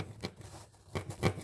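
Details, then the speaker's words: JBL JRX100 subwoofer: scratchy rasping scrape as the cone is pushed by hand, caused by the burnt voice coil wire rubbing against the magnet. "is caused by rubbing of the wire against the magnet."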